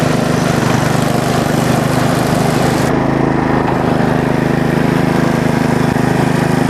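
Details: Bolens riding mower, first start after resealing the valve cover and charging the battery: the small single-cylinder engine putters at a steady, even beat on choke, with no misses or knocking. Normal running.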